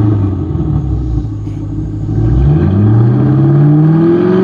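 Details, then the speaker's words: 1995 Ford Thunderbird LX after repair of a sudden power-loss misfire, warming toward operating temperature: revs smoothly from a low rumble to a higher, even drone with no misfire, only one slight usual hiccup. Normal warm-up running. "that sounds normal i don't hear any hiccups yeah there was a slight hiccup but it it always does that it definitely does not sound as bad as it did"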